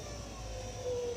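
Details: Car window regulator after axle grease applied to the slide rods: quiet, even motor hum with a smooth steady whirr, no squeak or binding, ending with a soft stop; normal power window operation.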